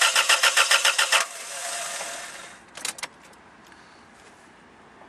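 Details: 1992 Toyota Tarago/Previa/Estima during a cold-start injector test: about a second of quick, even starter pulses, then silence and faint clicks. The engine spins over but never fires because the ignition is disconnected.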